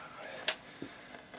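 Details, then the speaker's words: 1967 Ferguson 3022 transistorised record player: after the last record the changer trips with a sharp mechanical click and soft thump, then near silence; the auto shut-off works normally. "and it should shut itself off because that was the last record, and there we go, it turns itself off."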